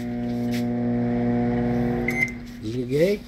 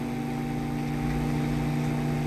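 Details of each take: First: Electrolux MF41 31-litre microwave after incorrect repair with oversized transformer: heavy, steady low mains hum with a jolt at switch-on; loud transformer hum. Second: Electrolux MF41 31-litre microwave after repair: smooth, even low hum with only a slight jolt at start, no buzzing or rattle, heating water normally; normal transformer hum.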